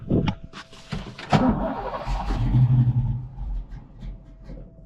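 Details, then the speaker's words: Ford Fox-body V8 with cam, first start after sitting 10 years, on brake clean: rough, lumpy idle with uneven pulses and stumbles, not firing on all cylinders; misfire. "We got it to run. It's not firing in all cylinders."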